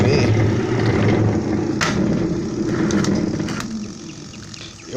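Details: Discarded twin-tub washer (tanquinho): loud rough electric hum as motor strains but won't spin; loose motor bearing seizes and locks the motor, fixed by replacing the bearing; seized motor bearing causing stalled motor hum.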